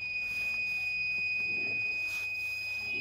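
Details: Tiger JPX-A100 rice cooker fitted with a wrong-voltage protection circuit: a steady high-pitched buzzer sounds continuously as the anti-wrong-plug alarm trips when 220V AC mains is applied.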